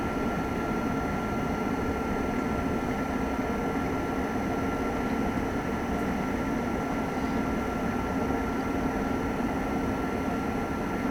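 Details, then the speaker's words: Lakota horse trailer living-quarters RV furnace on first firing after winter, in cool weather: steady even rush of burner and blower, faint constant tone, no rattles or surging; normal furnace operation. "Alright, now we'll let that run for just a few minutes to burn any bugs or anything out of the furnace."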